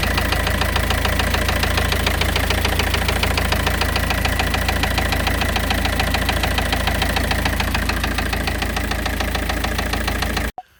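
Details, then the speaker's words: Citroën C5 pickup engine first run after one hydraulic tappet was replaced; steady fast light ticking from the top end, about three or four a second; likely tappet noise, owner thinks it may just need warming up. "you do hear a bit of a tappet noise. I'm not too worried about that noise because obviously I've replaced one of the tappets, or the hydraulic tappets, so it may just need warming up"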